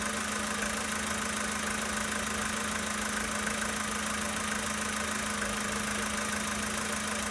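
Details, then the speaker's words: 2013 Volkswagen Polo Sedan Sochi Edition, 65,000 km, steady cold idle: a fast, fairly even ticking knock over the engine noise; cause can't be pinned down by ear. "Запись стуков двигателя на автомобиле Volkswagen Polo Sedan Sochi Edition 2013 года."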